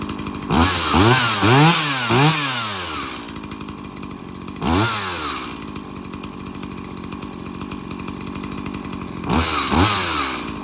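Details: Stihl MS170 30cc chainsaw, unrun for years, after service (fresh fuel, cleared spark arrestor, new bar, air filter and spark plug): crisp blips to full revs that fall back to a steady idle with no stumbling or bogging. Runs cleanly.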